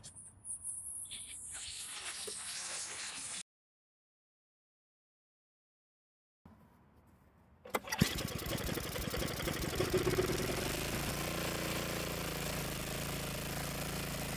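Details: Craftsman snowblower that wouldn't start, after loosening the carburetor adjustment screw for more fuel so priming delivers gas: after a pause fires at once and settles into an even steady run, no misses or hunting; normal running.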